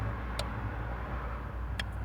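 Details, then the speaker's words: 2016 Dodge Challenger 3.6L V6, crank-no-start, faulty fuel pump: fuel pump relay toggled with scan tool gives two crisp clicks about 1.4 seconds apart over quiet hum; relay switching normally, voltage not yet checked. "and it really is clicking like i said as this one right here that's really really for your pump so that so far shows good"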